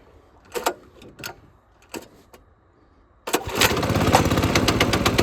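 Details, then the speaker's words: Lifan 7hp/GX200-clone engine on a Frontier OS18 sawmill, after head gasket repair for zero compression, choke on, throttle cable adjusted: a few clunks of the pull cord, then it catches on the first pull and settles into an even, steady run; healthy start. "So I'm hoping that this will start in 2 pulls. That's my prediction, 2 pulls, I hope."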